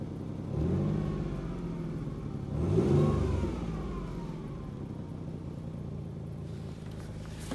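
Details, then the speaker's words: 2007 Mercury Mountaineer in below-zero cold, light revs under 1500 rpm after running a while: raspy puffing under the engine note rising with revs from an exhaust leak, partly fixed and much worse before; fixing it made it run better. "you can hear the exhaust leak which we actually did fix it a little bit it was a lot worse before um and that made it run a hell of a lot better"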